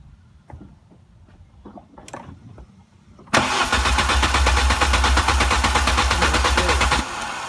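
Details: VW Passat with a suspected vacuum leak from a cracked intake boot, running on starting spray with the gas pedal pressed: several dry clicks, then it catches and runs rough for about four seconds before dying.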